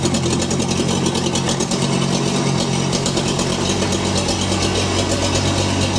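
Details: STL1000 small petrol engine, new from crate two months, at operating temperature around 1500–3150 rpm, idle and under load downhill/uphill: uneven low thrum with persistent miss; fresh fuel didn't fix the misfire.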